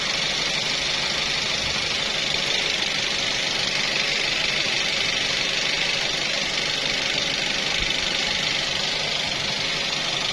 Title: 3SZ-VE ticking noise